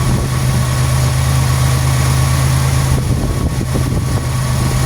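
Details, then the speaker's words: Deep, even idle hum, no knocks or misses, speed drifting slightly as the computer runs its system test, on a 1991 Buick LeSabre with cam sensor reconnected while chasing code 41; normal idle, though code 41 later remained. "Sounds just fine. You might hear the idle change up and down a little bit. That's the computer doing its systems test. Completely and totally normal."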